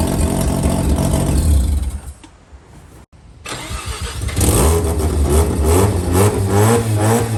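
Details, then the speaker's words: JDM Mazda FC RX-7 rotary, first start after sitting, with fresh 98 petrol, new battery, oil, water and gearbox, diff, clutch and brake fluids: brief cranking, catches, then settles into a steady low burble with small revs; starts and runs normally. "Hell yeah. So there you have it. FC's running, going."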